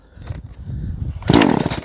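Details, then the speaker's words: Engine pulled on choke: a few rasping cord pulls, then one sharp pop and brief sputter as it fires once; first-fire on choke. "한 번 빠당했죠? 2번, 3번, 4번, 한 5번 정도 했어요."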